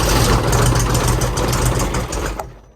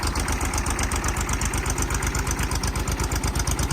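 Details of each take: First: Mid-1980s Kubota B7200 3-cylinder diesel on a cold start at about 15°F: a deep rumble catches for a couple of seconds, then fades and dies. The owner suspects a bad glow plug and possibly gelled fuel. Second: Kubota B7200 subcompact tractor old diesel, cold start at 15 degrees after an ice storm, glow plugs held a minute, no fuel additive: rapid even clatter over low steady idle, normal cold diesel warm-up.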